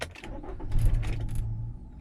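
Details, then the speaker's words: Nissan Rogue on test drive after new spark plugs and ignition coil, P0300 multiple-cylinder misfire with cylinders 1 and 4 misfiring: engine runs roughly a moment, then sags and dies out, stalling repeatedly. "it just shut off again that's not good Wow it just keep shutting off that stuff really"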